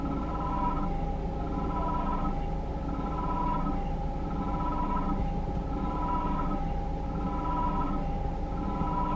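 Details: Peugeot 3008 1.6 PureTech 180 hp at steady idle: periodic whistling chirp about every second and a half, widely spaced at start, then spontaneously more frequent; a slight rev increase adds harshness. Abnormal periodic engine noise, cause unknown.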